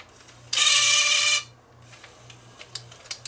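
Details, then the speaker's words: Fostex D10 studio DAT master recorder showing Error 02, during repair after the loading mechanism was checked by turning the loading pulley: brief whirring motor run, then light clicks and ticks as the transport threads; the loading cycle sounds normal and complete. "That looks like it's working."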